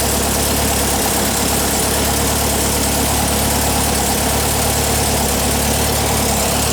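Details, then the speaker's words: 1959 VW single cab pickup air-cooled engine, started during restoration, left to warm up: a loud, even idle with a steady low beat and no misses or knocks. Normal idle. "Sounds good. Let it warm up for a minute."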